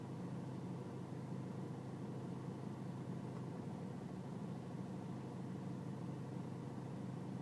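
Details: BMW E46 320cd diesel at low engine and outside temperature: quiet, low idle clatter with a slightly uneven, unsettled beat; a rough cold idle, cause not pinned down.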